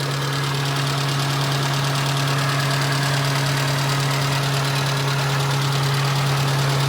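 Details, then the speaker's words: Nissan Be-1 1.0L carbureted four-cylinder, 3-speed auto, about 74,600 km, hot day, timing recentred: steady smooth idle with no knocks or misses, radiator fan audibly blowing (suspected stuck on); normal idle. "No weird noises, but you can definitely hear that the radiator fan is blowing."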